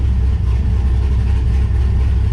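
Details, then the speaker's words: 1969 Camaro with cammed LS swap, first start: deep lumpy idle swaying up and down, running a little rich (target 14.5–14.7 AFR), timing around 18–20 degrees; hunting idle being tuned out. "It sounds like, and you can hear that like hunting idle. That's one of the things I'm trying to fix."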